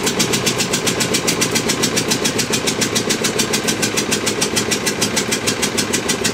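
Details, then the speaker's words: Witte single-cylinder diesel generator, in service from the late 1940s to the 1970s and first started in 45 years: a slow, even thump-and-bark at about three and a half firings per second after running all day; healthy. "so pretty pleased with today's progress all right she's been running all day we're going to shut her down now"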